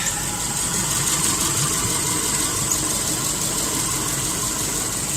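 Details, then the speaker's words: 2010 Subaru Impreza 2.5 non-turbo, 113,000 miles: replacement engine after oil starvation; steady even idle with smooth exhaust hiss, no knocks or misses. Earlier smoke cleared after revving, smelled of neither coolant nor oil; condensation from sitting suspected. Normal idle. "I don't know if that was from the old engine, but rev it up a couple times, there's no more smoky."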